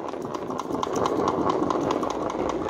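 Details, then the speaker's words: About 70-year-old homemade "Fizz Whiz" live-steam toy car, burner lit and boiler starting to boil, owner thinks it needs a little oil: soft hiss with light, fairly regular ticking chuff over steady steam; runs evenly. "I can hear the noises boiling starting I think it needs a little bit of oil"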